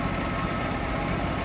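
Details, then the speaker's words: 1966 Ford Mustang convertible at idle, hood open, after recent new tank, sending unit, brakes, exhaust manifold and rebuilt carb; smooth, even low rumble with no misses, knocks or ticks, "purrs like a Swiss watch"; normal idle. "Look how smooth this thing runs. Wow. Sounds good too. Purrs like a Swiss watch, they say."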